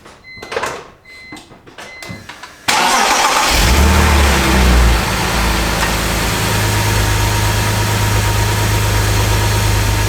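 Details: BMW E46 petrol engine after new serpentine/accessory belts and tensioner replacement (previous bearing noise): cranks, catches, flares briefly, then settles into a smooth, even idle with no belt squeal.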